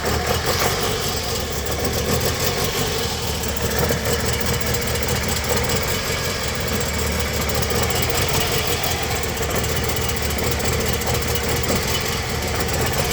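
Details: Toyota Harrier with 2AZ-FE engine, misfiring with hunting idle rpm, something got into the absorber: rough, uneven idle with a ragged beat under steady engine noise.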